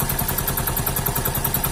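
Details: Hero HF Deluxe single-cylinder bike; this kind of noise appears after about 3000 km. Rapid, even knocking, about eleven per second at idle, over the engine note: top-end piston knock, addressed by decarbonising without a full engine teardown.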